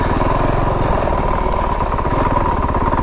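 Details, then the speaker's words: 2022 Honda CRF450RL dual sport on a slow technical off-road trail, clutch not feathered: slow, heavy, uneven chugging pulses from the single cylinder. Engine lugging at very low rpm. "see it's kind of chugging right now chugging pretty pretty good but I'm not using any"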